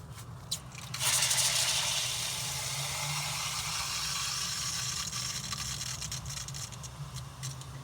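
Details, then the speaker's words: Drip irrigation valve on a sprinkler system after its Y filter was cleaned: a strong, steady hiss of water through the valve and regulator, with no sputtering. Flow is clearly stronger than on the uncleaned valve. "now there's a big difference you can tell you can i could actually hear it going through the regulator i can hear it moving"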